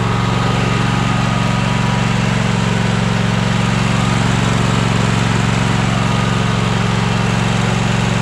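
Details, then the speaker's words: Troy-Bilt Horse tractor single-cylinder engine running after new fuel pump: steady, even beat at constant speed, no misses or surging; earlier smoke from being tipped on its side has cleared; runs healthy. "yeah it ain't smoking no more let me turn it off we don't need to be wasting any gas we know it runs"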